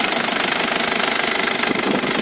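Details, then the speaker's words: Isuzu Panther New Royal 2000 diesel, 189,000 km, engine recently rebuilt, bonnet open: crisp, even diesel clatter at steady idle, no uneven beats or extra knocking; healthy engine, no blow-by. "Ini mobil sehat, gak ngobos, mesin Sip."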